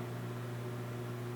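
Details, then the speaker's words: Lexus IS300 clutch pedal after replacing the worn plastic pedal bushings with new Toyota parts and greasing: a slow pedal stroke with no squeak, only a low cabin hum and faint spring noise; the metal-to-metal squeak is fixed. "pushing the pedals super slow like I was before and all you can hear is the spring it's gone so that fixed it"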